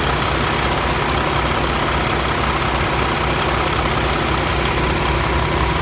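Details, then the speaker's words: Peterbilt 579 diesel truck just back from dealer repair, fresh oil change: steady, even idle with no knocks or stumbles, sounding much smoother. "she just sounds so much smoother"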